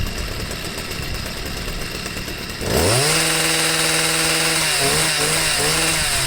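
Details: Stihl sweeper MM55 two-stroke with replacement Hipa C1Q-S97 carburetor, idle set, no mixture adjustment needed: buzzing idle, crisp revs on throttle blips, straight back to steady idle; normal idle and throttle response.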